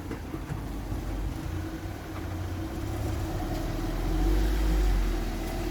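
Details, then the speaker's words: Mark One car after a day of repair jobs, at idle: a quiet, smooth, even hum with a slight rise in revs and no misses or knocks. The engine is very responsive and very quiet now, a normal idle. "it's very responsive now which is good um very very quiet"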